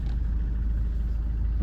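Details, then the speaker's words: Ford Kuga AWD with ABS light and 'AWD overheated, temporarily disabled' warning: low vehicle rumble while manoeuvring, then a single dull clunk from the rear left, with bad vibration and rear wheel skidding; sensor fault suspected. "hear that clunk? Come on, little car. That was rear left just clonking, it sounded like."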